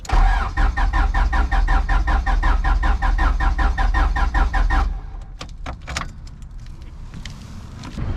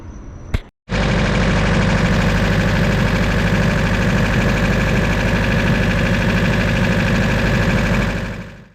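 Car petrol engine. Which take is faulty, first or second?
first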